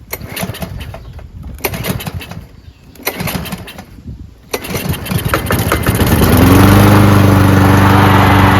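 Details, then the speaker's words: Free Cub Cadet mower, probably MTD with a PowerMore engine, choke closed and starting fluid sprayed in: a few sputtering catches, then it settles into a steady, even run. Carburetor seems clean; it just needs a prime. "How about that, huh? Carburetor seems to be clean. Just needs a prime."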